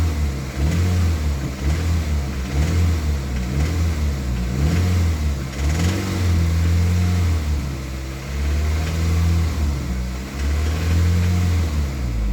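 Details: Toyota MR2 Mk3 Roadster revived after long lay-up (stale fuel drained, new battery), engine blipped: light metallic rattle coming in around 2200–2500 rpm and fading as revs drop; source not yet found.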